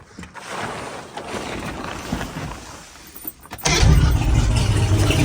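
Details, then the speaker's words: New replacement starter just installed on 1988 Sea Ray Seville boat with 135 hp outboard; engine catches instantly with no starter grind and settles into a strong, steady low run; healthy start and idle. "just like that she fires right up"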